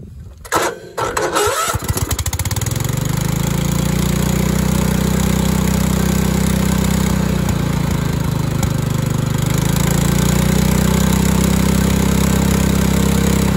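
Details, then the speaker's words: Craftsman LT2000 tractor with Kohler Command engine after governor arm adjustment: stumbles a couple of seconds, then settles into a steady even run with no hunting; carburetor still needs adjusting. Steady running engine. "difference well I think that might have just done it"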